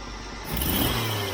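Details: Jeep CJ-7, timing advanced well beyond the timing plate while swapping vacuum advance ports, cooling fans running: quick blip from idle hesitates and bogs briefly before revs pick up; stumble persists, cause not yet found.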